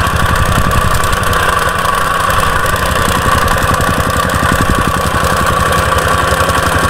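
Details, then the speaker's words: Used jumping jack tamper after a carburetor cleaning and a torn intake gasket behind the carb, air filter clamped on: loud, steady engine drone with an even, rapid stomping beat, running a good while; normal running. "good news looks like it's running not bad i ran it for a good while just to make sure and it dug about a i don't know four inch deep hole in the ground from just sitting there stomping"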